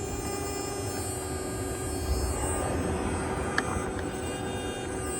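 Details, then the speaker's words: 2013 Nissan Sentra A/C compressor solenoid control valve bench-tested off the car in manual mode: steady electrical buzz once energised around setting 26–29; faulty control valve, cheap part replaced instead of the whole compressor. "do you hear the buzzing"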